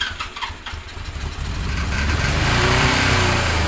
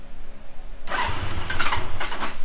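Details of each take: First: 1977 Suzuki GS550 café racer four-cylinder after carb cleaning, started on choke: it catches and the revs climb and hang high instead of settling; it would idle on choke then run without it, later traced to the carb throttle shaft fitted backwards. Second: 1977 Suzuki GS550 café racer four-cylinder after rotating the backwards-fitted carb throttle shaft 180 degrees, having sat a minute: catches quickly and settles into an even, steady low exhaust note, running super smooth.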